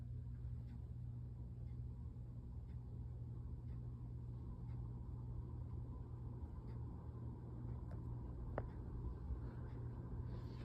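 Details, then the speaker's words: 52-inch Hampton Bay (Air Cool) Windward four-blade ceiling fan, made March 1992, running at medium speed. Steady low hum and an even whoosh of air with faint ticks; a slight wobble comes from warped blades. A good, normal medium speed. "The medium is starting to pump out some air. Uh, the fan does have a slight wobble to it cuz some of the blades are warped. But this is a very good medium speed."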